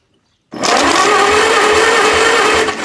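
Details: 1948 Farmall C tractor, spark confirmed, no fuel: steady starter whir with even, slow compression pulses about twice a second; engine spins freely but never fires, as expected.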